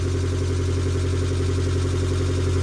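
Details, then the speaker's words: Fiat 500 Abarth that had been sitting a while, after replacing the starter motor, whose worn teeth caused a screech on startup: steady, even low idle with no squeal or chirp after startup; fix worked. "it has been a while since this car's been run, so we do need to leave it running for a bit, but there is no squeal now after startup,"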